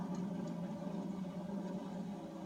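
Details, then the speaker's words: Street-legal WWII-era armored vehicle with 75 parade miles: deep, steady engine drone with an even low hum and no knocks or misses; runs healthy. "There you go, dear. Runs pretty good. Wow, sounds great."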